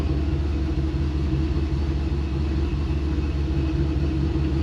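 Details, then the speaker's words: Boosted Pontiac GTO with methanol injection on speed-density tuning, cold start: a deep, slightly uneven idle with a loping pulse about twice a second; it stumbles at first until the computer fails the MAF sensor and switches to speed density. "all right guys everything looks good we're gonna let this thing warm up here a minute you hear it stumble when we first start it that's because we are using speed density tuning"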